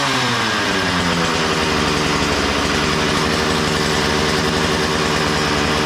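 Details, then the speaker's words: Makita DCS 6401 chainsaw, unused for 10 years, after a new plug, fresh fuel and a cleaned tank and fuel filter: steady even two-stroke buzz at high speed, no misses or surging; runs well, though the kill button doesn't work. "hey it seems to run pretty good though go Le for sitting 10 years threw a plug in it fresh fuel clean the fuel tank clean the fuel filter woo this thing is a beast"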